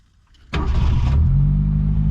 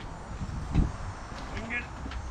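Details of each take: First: 1972 Ford Pinto 4-speed, abandoned car revived, restarting after being shut off: catches within a second and settles into a smooth, even idle; healthy start. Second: Abandoned 1972 Ford Pinto 4-speed, oil just topped up, with no gas in the tank: weak, uneven turning over with no catch or firing; cranks but won't start because it is out of fuel.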